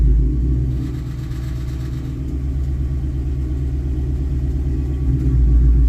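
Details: 2019 Ford Mustang GT V8 at low rpm, light throttle from a stop or uphill: deep rumble with fluttering buzzy rattle; cause was loose exhaust clamps, fixed by tightening.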